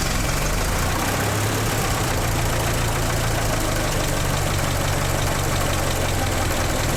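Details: 1918 Ford Model T four-cylinder after radiator repair, refilled with coolant: loud, steady low chugging idle with an even beat and no stumbles; engine runs healthy.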